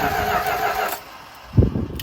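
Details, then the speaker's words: 1972 Dodge W200 Power Wagon, first start after sitting for years, fed fuel by hand with choke on: engine fires for about a second then dies, followed by a thud; it won't keep running, likely burned off the small fuel dose, cause unconfirmed. "Why'd it die so fast, though? I don't know. That's what you're supposed to do right there. Try it now. It died pretty quick."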